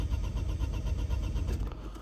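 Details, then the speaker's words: Opel/Vauxhall Astra MK4 crank no-start: starter turns the engine over in a quick even rhythm but never fires; fuel gauge shows no pressure while cranking, dead fuel pump, fixed by replacing the pump. "you'll see now if we can see anything absolutely nothing can you see which means that the pump it's not making any"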